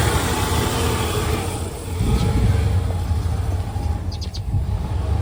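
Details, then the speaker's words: OBS Ford F-150 at idle: low rumble that sags and surges unevenly as if about to stall, also skips while driving to a stop; rough idle, owner suspects idle air control valve or fuel system. "you guys can hear that truck is struggling to idle, and it even does it while I'm driving as well. When you're going to a red light, it'll just jump and skip and all sorts of stuff."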